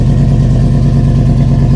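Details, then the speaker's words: Chevrolet 5.3 V8 at an auction yard, started despite a dead 7.9 V battery: deep, steady, even idle with a smooth low rumble and no ticks or knocks. The alternator charges 14 V afterward, a normal healthy idle. "Oh, yeah. Oh, I like that. Okay, this sounds nice."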